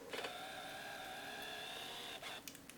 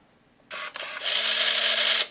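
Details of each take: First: Nikon Coolpix L3 on AA batteries: buzzing motor whine about two seconds as the straight-across lens mechanism extends, noisier than normal; possibly loose lens drive, suspected, not confirmed; camera works. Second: Untested used film camera with 38mm f3.5 lens and flash on, taking a picture: sharp shutter click then high whirring film-advance motor for about a second; a little noisy but normal shutter and film advance, decent working condition.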